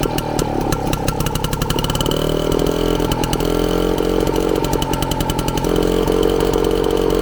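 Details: Frazer tiller two-stroke, magneto ignition installed and timed, 32:1 fuel mix with 93 octane, first run in 30+ years: fast, steady buzz holding speed evenly, no misfires or surging; normal running.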